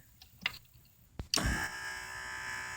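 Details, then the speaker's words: GM power window motor and gearbox from an Oldsmobile Alero, after repair: a couple of light clicks, then a quiet, steady whir with no grinding or chatter; repaired window motor running smoothly. "oh the sweet sound of success now I can put my door back together"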